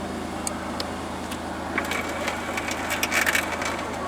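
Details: 2008 Pontiac Grand Prix right rear window, car loud while warming up: scattered cracking and grinding clicks as the window tries to move over engine noise; failed window regulator.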